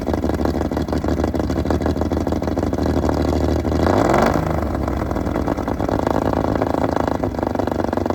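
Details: Fully restored 1935 Stancraft inboard, the oldest known surviving Stancraft, in raw unedited footage; loud, steady multi-cylinder roar with a rev blip around four seconds that settles back cleanly, strong and even. Normal running.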